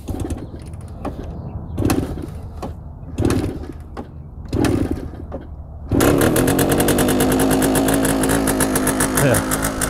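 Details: 1966 Suzuki K15 two-stroke running premix, kick-started on a little choke from cold: it catches with a rapid, harsh, crackling exhaust note that seems too loud. The owner asks how to make it quieter.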